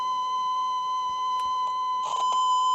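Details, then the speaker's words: Roadside-found Stern wooden tape radio recorder playing a 1 kHz calibration tape: steady tone with slight wavering pitch and handling clicks, wow and flutter, tape needing to be held in the odd mechanism. "can hear that's kind of fluctuating but hey for jet recorder that has been probably out in the street rain and whatnot for a few days that's actually really good"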